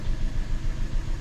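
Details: Hyundai running with number one fuel injector deliberately disabled and in-cylinder pressure transducer fitted (just below 50 PSI running): low uneven lumpy idle under wind noise; dead cylinder misfire from disabled injector.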